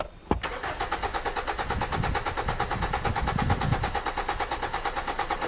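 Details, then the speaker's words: 2010 Hyundai Sonata cranking with steady, even cranking at about two compression pulses a second and no catch or fire; the fuel pump motor is dead, not a bad ground or bad feed, and the pump is to be replaced. "It is not because of a bad ground. It is not because of a bad feed. This motor is done. Is done. Dead. Dead. Dead."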